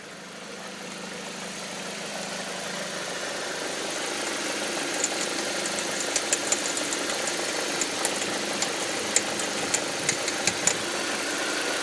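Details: 2005 Audi 1.8T: sharp, irregular popcorn-like ticks crackle over a steady engine hum, only under load in gear, seemingly from around the alternator; no check-engine light or oil pressure errors, owner wonders about water pump or alternator, cause unknown.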